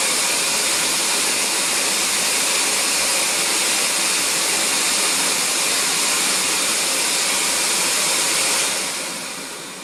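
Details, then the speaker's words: CamVac CGV286 twin-motor workshop dust extractor, about four years old: loud steady rush of air with an even high motor hum like a domestic vacuum, no rattle or squeal, then winds down; healthy running, noise mainly air extraction, directed away by baffle tubes. "so the motor noises is much like a domestic vacuum cleaner at home you really hear the motor working and it's the the main part the noise is the air being extracted from the machine"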